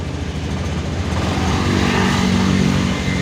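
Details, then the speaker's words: Honda Scoopy 2022 scooter that would not start with the keyless remote flashing red, after the remote was long-pressed back to green: starter catches and the small engine settles into a steady, even idle; normal start, the fault was only the remote. "Kita tombol starter kita pencet. Nah, sudah nyala. Baru kita ceklekan keylessnya."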